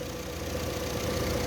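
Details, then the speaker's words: Fiat Toro 1.8 E.torQ with a check-engine light: rough idle with a steady low knocking timing-chain rattle; the cam pulley was fitted about 4–5 teeth out of time. "Qual o defeito do carro? O carro veio com defeito de marcha lenta ruim e luz da injeção acesa, barulho na corrente."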